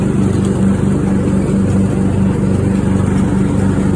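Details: Craftsman riding mower after a new fuel shutoff solenoid, fuel filter, spark plug and fuel treatment (water in the fuel suspected). It now starts and runs a steady, even drone with no misses or surging.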